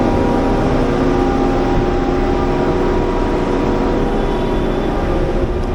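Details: Generator in a Manhattan utility area running after its oil level was checked and found full, before the minor service: a steady, even drone and constant hum with no knocks or misses, so it runs smoothly.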